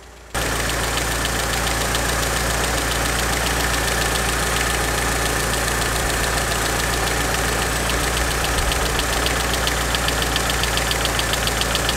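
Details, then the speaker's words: Mitsubishi Evo 6 before the lifters were replaced: fast, light ticking of about three to four per second over a steady idle. The hydraulic lifters are tapping; the originals have a 1 mm oil hole, while newer replacements have 3 mm. "and I'll show you the tappety hydraulic lifters. I don't know if you can pick the tappety noise up on the video"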